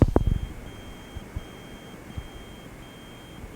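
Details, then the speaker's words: Klipsch ProMedia computer speakers switched to Bluetooth mode: the hum heard otherwise goes away, replaced by a faint, thin high-pitched beep repeating steadily under quiet room noise; owner considers them defective, cause unknown. "now if i switch to bluetooth that hum goes away and it goes to this little beeping"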